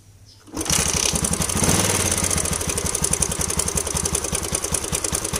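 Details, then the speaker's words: Yamaha LC135 motorcycle single-cylinder at idle: fast, loose metallic clatter over every beat, very obvious; likely a slack timing chain. "Ini kemungkinan besar joknya rantai ataupun temen sudah kendur ya saja punya bunyi memang sangat kentara dan memang bunyinya memang terdengar ah ibaratkan macam rantai itu sudah kendur ya"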